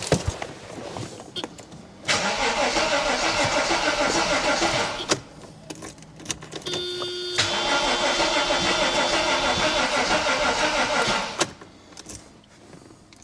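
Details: Mercedes AMG coupe, first start attempt after sitting since 2009 with fuel primed: steady rapid starter churning about three per second, but it never fires. Owner then tries starting fluid and worries about a weak battery or immobiliser.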